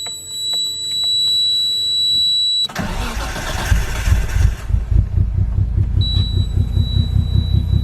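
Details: Nissan R33 Skyline with stage 554 cam, spark plugs 1 and 4 swapped between cylinders: cranks, catches, then idles with an uneven stumbling chug and irregular pulses; swap made no difference, still missing at idle, cause not yet confirmed.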